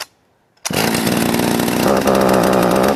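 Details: Sachs Dolmar 43cc chainsaw with timing issues; it snaps to life and holds a strong, steady high rev with clean crisp firing under load, running healthy.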